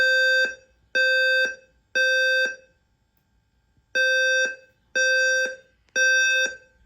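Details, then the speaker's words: Home fire alarm system during full inspection, fire drill evacuation: loud steady beeps in groups of three, each about half a second, with pauses between groups, alternating with a spoken evacuation message; correct temporal-three evacuation signal. "So now I will do the fire drill. Evac."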